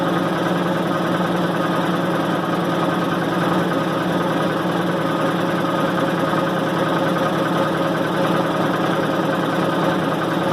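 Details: 1990 Maytag LA211 washer on spin: steady loud low groan with a whining edge, pulsing slightly. Belts, brake and the brake's bearing have already been replaced, and the cause is still unknown.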